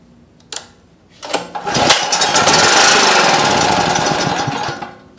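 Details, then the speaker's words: Champion Dual Fuel 3500 W generator with no-start, primed with 50:1 gas squirted into the intake; cranks, catches, runs rough about three seconds then dies, fuel-starved because the carburetor is completely obstructed and needs cleaning. "okay so it does run it just uh is completely obstructed so let's uh let's see if we can't take this off and uh and clean it out a bit"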